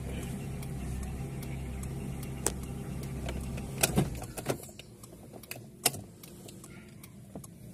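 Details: Honda L13 engine with a rough, uneven low rumble, irregular sharp ticks and stumbles, running sagging and fading; engine misfire.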